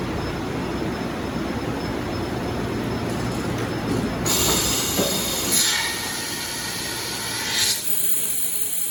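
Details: 2000 Toshiba BTD-110.R16 CNC horizontal boring mill, 60-station tool changer, CAT 50 tooling: steady hum, then sharp air blast and mechanical shuffling, second hiss seconds later; ordinary smooth automatic tool change.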